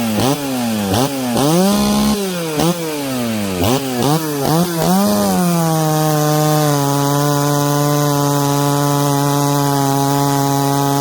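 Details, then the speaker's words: Ported 66cc Dolmar chainsaw, longer stroke, cutting through knots: screams to high steady pitch, bogs slightly but pulls clean without stumbling or hesitating; healthy chainsaw under load. "whoa all the way through didn't stumble hesitate we're pretty much through the knots"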